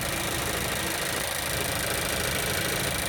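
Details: Mazda CX-5, 4018 km, cold start on 29 December 2017; rough constant metallic grinding rattle at idle that disappears when the clutch pedal is pressed; metallic grinding at cold idle.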